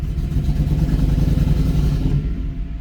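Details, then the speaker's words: Toyota Surf with 1UZ-FE V8 swap, coils wired the wrong way round, at full throttle: rough, lumpy, stumbling note, running on about two and a half cylinders; ignition misfire from crossed coil wiring. "uh I I didn't believe what I saw but the the coils are mixed up around around the wrong way so this is um driving very nicely into the workshop as you can hear it's running on about two and a half cylinders"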